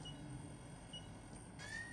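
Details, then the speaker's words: Funai ZV427FX4A DVD/VHS combo recorder, DVD loading motor repaired with DeoxIT: quiet, even whir with short rising tone as the disc spins up; drive loads and plays normally. Normal disc drive operation. "you hear that yeah it's definitely a good drive there you go it's loaded and it's playing something right now"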